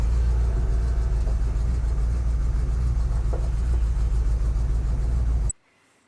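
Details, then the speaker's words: Engine just started, choke working, little smoke on startup; steady low rumble with firm, even beats and nothing rattling on top, then the engine is shut off, a clean normal idle. "good girl sounds good I don't a lot of smoke on Startup choke seems to be working good I'm happy with that"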